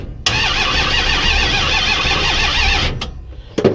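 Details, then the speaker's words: 1971 Plymouth Duster, newly wired and timed ignition, cranked directly at the starter relay: about three seconds of strong, even cranking; starter turns engine freely, though the key switch fails to crank. "I get it to start right here on the relay. It kicks over, no problem."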